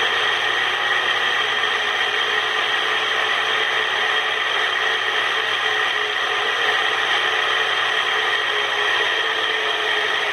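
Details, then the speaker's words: Ceiling fan about one month old, water leaked in and rusted it: steady gritty whirring hiss with faint high whistle from bad 6201 bearings, oiling did not help; bearings need replacing. "pessoal esse aqui é o barulho do ventilador com os rolamentos ruim tá isolamento de sentir a dor ficou ruim tem um mês de de uso e incentivador e ele estragou por que infiltrou água na casa da cliente"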